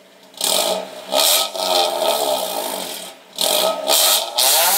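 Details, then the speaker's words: 2000 Honda Civic after installing an eBay 4-inch rolled-tip aftermarket exhaust, revved: sharp blips with a raspy, very loud note. Fine up to about 3000 rpm, loud past 3000 and then super loud. Engine pulls cleanly, just a loud exhaust. "it is extremely loud I mean first first hear up to like 3000 rpms is fine once you go past 3000 rpms it gets loud and then it gets super loud"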